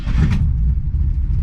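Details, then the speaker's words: 1966 Ford Mustang with 2010 engine modifications, already started that day (warm) so no pedal pumps: quick catch and a deep steady V8 rumble settling into idle with no misses or knocks; normal warm start. "But we'll fire it up here in a second. When it is cold, I give it 2 pumps, but I've already started it today, so I'm not going to do anything."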